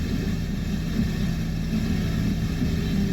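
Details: 2001 Toyota Camry petrol engine, timing belt, roller, pulley and fuses replaced, idling smoothly after starting with an even low hum, no erratic RPM, surging or hunting; normal steady idle.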